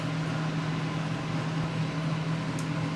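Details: Breville Smart Oven BOV800XL convection oven after repair of non-heating bottom elements, now heating: steady low hum with a few even tones, no rattles or clicks; normal running with fan going.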